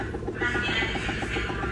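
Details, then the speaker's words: LG automatic washing machine in spin/dry; loud fast even rattling knock about seven a second from worn gearbox, fixed by replacing gearbox. "Sobrang ingay kapag nag-dryer siya guys no. So kapag ganito guys ang washing machine niyo, ayan ang problema niyan guys ay gearbox no."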